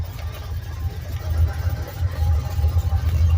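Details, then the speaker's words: 2008 Ford Mustang Bullitt bought from salvage auction: deep, loud, lumpy idle rumble with nothing damping it; owner suspects mufflers were removed, not confirmed; no ticking heard. "I'm not seeing any mufflers on there, but I'm not 100% sure either. So, looks like he might have pulled the mufflers off, and that's why it's so loud."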